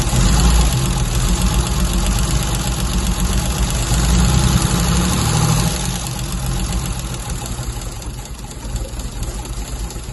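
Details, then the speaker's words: MGC 3.0 straight six, first run in about 33 years, carbs rebuilt, no coolant in it, oil reaching the rocker tops: steady low throbbing idle with an even beat, settling a little quieter after a few seconds; running smoothly. "Right, and again. There we go. First time in about 33 years, I think it was."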